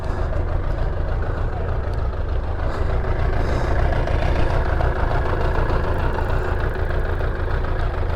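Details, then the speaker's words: Suzuki Bandit 600 that struggles to idle once the choke is off and keeps cutting out. The engine is hot and the idle screw is being adjusted toward about 1000 rpm. It now holds a low, even, steady idle on its own without stumbling. "that's hot that is really hot now that's right is it running on its own are you doing anything aren't you okay that's right"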